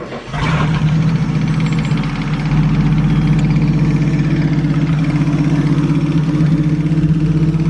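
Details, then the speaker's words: 1937 Talbot 3 Litre straight-six, recommissioned after decades unused, restarted for a brief run while things get used to running again. Engine catches, then settles into smooth, even low idle with no knocks, misses or hunting; healthy. "can't beat a nice straight six"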